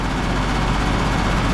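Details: Split-system heat pump outdoor condensing unit with compressor running, suction line warm not hot, condenser fan running: heavy low rumble and droning shake; excessive vibration, unit shaking badly.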